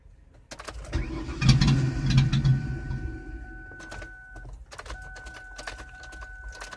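About two seconds of cranking at roughly three turns a second that never fires, then a dash chime; cranks, no start.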